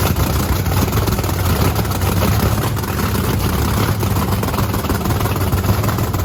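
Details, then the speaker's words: Supercharged methanol-fuelled Camaro race car after injector nozzle cleaning; loud, lumpy blown-V8 rumble holds fairly steady with no knocks or misfires, running healthy until it burns through five gallons of methanol and runs out of fuel. "that went through five gallons of methanol that fast oh my gosh it went through that fuel so fast we're lucky we didn't just lean pop it"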